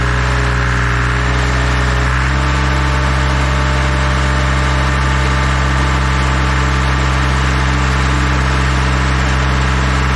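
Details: Dual drum vibratory roller diesel engine at idle, just started to warm up after new filters and hand-pumped hydraulic oil refill (slightly over full line), watched for leaks; steady low rumble, even firing, no knocks or squeals: normal idle.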